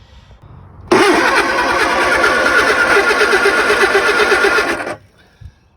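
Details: Lotus Elan first start after 3 years off the road, after building oil pressure and refitting plugs; steady fast cranking, about four beats a second, for four seconds with no firing; cranks but won't start, distributor timing wrong.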